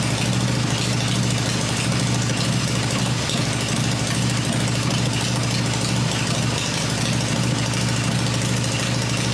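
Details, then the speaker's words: Freshly built Harley Evo V-twin with points ignition on a test stand, open exhaust pipes covered, during a run-in cycle: deep, steady lopey idle, slightly uneven but no knocks or rattles; normal idle. "this motor sounds really good I'm really pleased today we're going to try cycle it for another minute"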